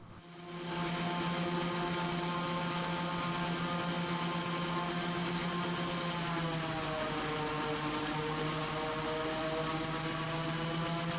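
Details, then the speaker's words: Raptor prototype aircraft engine with redrive and prop governor, run-up: governor kicks in near 3300 rpm and pulls speed back to a steady 3100 rpm, brief dip then settles; normal constant-speed propeller governing despite jumpy gauge. "so even though that gage is jumping around you can actually hear that the engine is fairly consistently set to about 3100 rpm"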